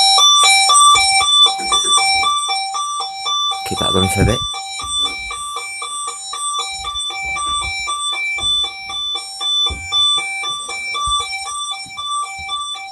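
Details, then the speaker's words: Burglar alarm panel's internal sounder in test mode, audible through the whole house: a clear repeating electronic chime at about two tones a second, held steadily in a quiet room. Normal chime under test. "you can actually hear it for the whole house and so that's the internal bullsey"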